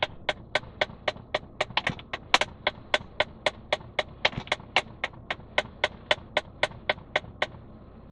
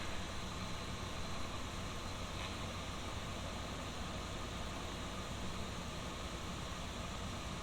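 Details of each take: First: 2011 Ram 1500 at startup: sharp plastic clicks about four times a second from behind the dash, possibly two HVAC blend door actuators clicking together; a worn blend door actuator. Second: 2011 Dodge Ram 1500 after replacing two HVAC blend door actuators: engine idling with steady, even airflow rush for eight seconds, no clicking; blend doors now quiet.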